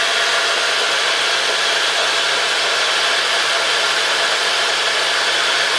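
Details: Mitsubishi Chariot Spacewagon N43W, 4G63 turbo, transfer case removed: steady airy high-pitched hiss-squeal around 3 kHz near right front wheel and transmission-engine area; transfer ruled out, brakes earlier suspected, cause not yet found.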